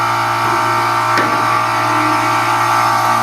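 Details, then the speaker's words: Gas package air conditioner outdoor unit with condenser fan motor not turning, compressor making a loud screeching buzz from overheating, not cooling; bad dual capacitor found and replaced, fixing it: condenser fan not running, compressor loud and hot. "we're going around here Kyra the gas back and as we can see our condenser fan motor is not turning on"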